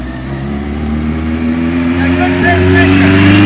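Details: 1977 Kawasaki KZ1000A motor of unknown mileage, revving up with a faint tinny chatter from the top end; slack cam chain, possibly worn idler rubbers, though the motor runs well and does not smoke.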